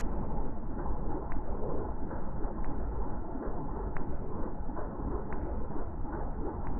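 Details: WW2 Willys jeep during carburettor tuning with a Colortune plug showing mostly blue flame: steady, even low idle with a soft, regular beat and no misses or stumbles; warmed-up engine idling normally.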